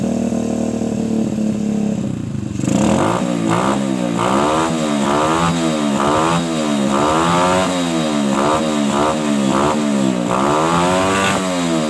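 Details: Suzuki Shogun motorcycle, trail-converted for heavy loads, running without an air filter, after cleaning a clogged carburetor and adjusting the air screw: repeated clean throttle blips, revs rising and falling smoothly with no stumble; hesitation fixed.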